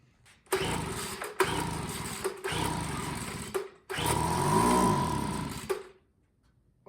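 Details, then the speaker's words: Craftsman leaf blower that had sat unused, with the carburetor and exhaust reinstalled, fired on starting fluid using the choke. It gives several short bursts that die within a second. Spark is confirmed, but no fuel is reaching the carburetor. "It fired off starting fluid, so that tells me that we have spark. And yeah, we just need to get gas into the carburetor next."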